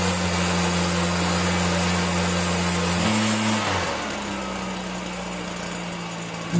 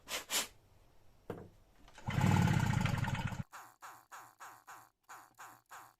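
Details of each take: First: Stihl BR 340 backpack blower that wouldn't start because of water in the fuel, cleared by pulling it over with the plug out: it starts rough, then runs at a steady high idle that dips briefly and recovers. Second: Stihl BR 340 backpack blower with a replaced pull start, refuelled with fresh ethanol-free 50:1 mix, throttle wide open and choke on: pull starts give a brief rough burst that dies, no catch; water left in the lines and carburetor prevents starting.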